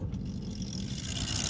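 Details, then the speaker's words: Car AC blower motor, old unit bench-tested on the lowest speed after a blown fuse: steady, even whirr with light hiss and no scraping or catching; old blower spins freely and works. "So the old motor turns for most intents and purposes, right?"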